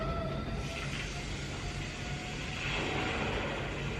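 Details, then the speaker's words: Chevy Colorado/GMC Canyon 2.8L Duramax LWN after a fuel filter replacement, ignition cycled to prime: a steady electric fuel pump hum shifts and turns rough as trapped air purges. Fuel pump priming. "Hear the fuel pump running right now. It'll run for about 30 seconds and you'll turn the ignition switch off and then turn it back on."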